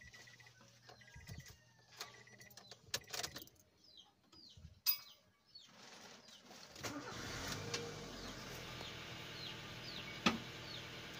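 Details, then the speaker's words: Car running after a bearing was repacked and the pump belt reset: the engine catches and runs steady and even. The earlier noise is gone, with no squeal or knock, so it runs normally. "ayan guys, hindi na siya tumunog."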